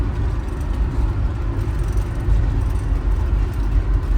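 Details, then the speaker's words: 1977 Winnebago Chieftain, previously running on 7 cylinders, accelerating from second gear up through 35 to 65 mph with the vacuum secondaries open; steady, smooth drone with no vibration. A gummed-up cylinder is now clean: normal running under load. "oh my gosh she's really zinging now it's super smooth I think we got that cylinder back this is the best it's ever run"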